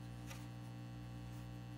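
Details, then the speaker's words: 1950s Telefunken Concertino 7 radio on AM between stations near 340 kHz before electronic restoration: constant low drone with an even buzz; mains hum, owner unsure whether picked up or from failing filter capacitors. "I tell you that's a really noisy hum though I can't tell you if that's being picked up or if that is just being emanated from the filter capacitors themselves"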